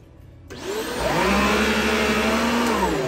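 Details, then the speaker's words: Riccar R40P vacuum after replacing the PCB a second time to fix brush roll shutting off: motor whirs up within half a second to a steady even hum without cutting out; brush roll runs normally. "the brush roll turns on."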